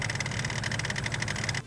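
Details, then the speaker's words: 1998 Range Rover P38 2.5 DSE diesel, off the road 6 years, under bonnet: loud fast even slapping clatter at engine speed over low rumble; owner pretty sure the metalastic crankshaft damper has failed completely. "and that noise I'm pretty sure is caused by the crank shaft damper uh on these they have like a metalastic damper which uh separates the drive belts from the engine crankshaft rotation and it's meant to make the engine a bit quieter but on this one the metalastic damper has failed completely"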